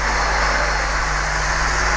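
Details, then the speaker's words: OO-gauge Lima Class 40 model loco after cleaning wheels and motor, oiling and new coupling hooks, heard running around the track in the background: steady, even whir with low hum, no catching; running beautifully. "and it is running just beautifully. You can probably hear it now just running around the track in the background."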